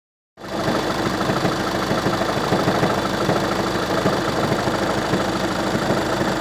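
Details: Volkswagen Passat B6 1.9 TDI at idle: steady diesel idle with a loose, uneven knocking running through it; engine noise, exact cause unconfirmed.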